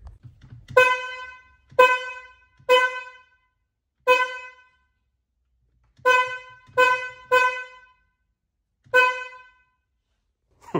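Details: BMW F80 M3 horn: eight short honks of a thin, high-pitched single note with no low tone underneath, clown-car sound; the low-frequency horn has failed.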